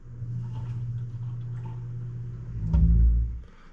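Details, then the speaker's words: Kitchen sink drain after installing a mechanical air admittance vent (sump pump shared the drain, siphoning the trap): low steady rumble of draining water, no gurgling, slight trap movement only. "all right guys so as you can see the fix worked no more gurgling sound there is a little movement in the Trap but that's fine"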